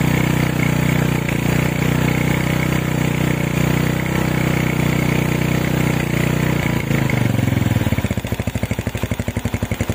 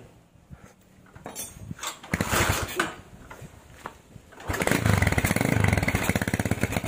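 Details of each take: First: Honda Tiger stock engine with PWK 28 NGO carb, GL Pro needle clip moved to top, pilot jet lowered to 30, after resetting: single-cylinder idle settles steady and even, no hiss or hunting; normal idle, no longer running wet. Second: Tiger standard factory engine with PWK 28 NGO carburetor, stock JJY needle on middle clip: hissing, sputtering idle with hanging rpm that stays high; exhaust pops when throttle released.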